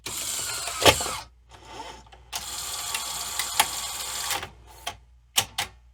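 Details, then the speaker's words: 1986 Sony SL-700 Super Beta Betamax VCR: on eject, halting whirs are broken by sudden clicks and clunks at uneven gaps as the mechanism stalls and restarts erratically; dirty switches are suspected. "that just dirty switches it seems a little hesitant doing things"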